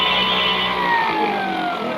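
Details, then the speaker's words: Electric vehicle motor with repaired controller, running at full load: clean high electric whine, pitch easing down slowly, no grinding or knocking; normal full-load running. "দেখেন বুঝতে পারছি আপনাদের, একদম ফুলে দেখছেন, full load,"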